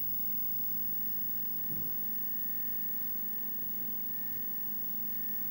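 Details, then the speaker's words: Nintendo arcade cabinet with 20EZ audio, volume pot moved and JB connector removed from remote board, volume fully down: near silence with faint monitor hum and thin whine; amplifier hum gone. "I can hear the monitor humming a little bit the wine squealing a little bit but there the hum is gone"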